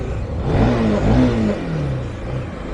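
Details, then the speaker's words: Bajaj NS200 motorcycle after replacing the failed timing chain tensioner (timing chain kept because it was in good condition): a clean, even rev that climbs and settles smoothly with no rattle or ticking, so the engine noise is fixed. "അപ്പോൾ sound okay ആയിട്ടുണ്ട്. നമ്മൾ guess ചെയ്ത പോലെ തന്നെ timing ചെയിൻ്റെ ടെൻഷണർ പോയതായിരുന്നു."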